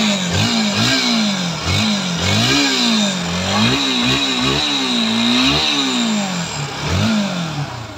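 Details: Bajaj Pulsar NS 160 after engine repair and an oil-level check: the engine blips cleanly up and back down repeatedly, picking up crisply with no knocking or rattle; normal running.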